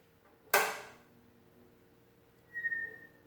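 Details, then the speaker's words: Late-1920s Standardyne 29 TRF radio after repairs: sharp switch click, then about two seconds later a single short high chirp at power-up, only once; owner suspects output choke resonance, not confirmed. "So it makes a little chirp sound when you turn it on. Not sure if that's because of the output choke maybe causing a little bit of resonance there or what, I don't really know."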